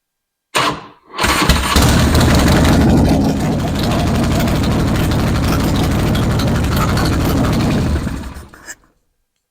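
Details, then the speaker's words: Harley-Davidson Road King V-twin after repair of the front exhaust leak and bad vibration from worn front motor mounts: cranks, catches cleanly and settles into an even loping idle with no rattle or exhaust tick, much quieter. "We should start it up. And now it should be a whole lot quieter on the startup and on the running."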